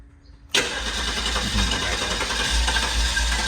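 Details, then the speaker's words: Guanci SSJ mid-engine V8 prototype on its first start after more than 25 years in storage: quiet cranking, then ragged firing and exhaust pops, but it won't keep running; 20-year-old varnished fuel is suspected. "Oh, it wants to. Man, it really wants to. It's probably just a 20-year-old gas. It's just opening up. Everything's probably varnished."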